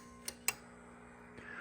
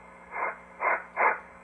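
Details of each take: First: Drake TR4C transceiver with a replacement tube-keyed transmit relay, coil about 450 ohms, installed after the original was missing; two crisp clicks as the relay pulls in cleanly; working normally. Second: Drake TR4C ham transceiver, relay replaced, OA2 tube removed; receiver audio still plainly audible with volume turned fully down; volume control not taking effect. A friend points to an overvoltage issue carried from TR3/TR4 designs (about 1.5K resistors), unconfirmed.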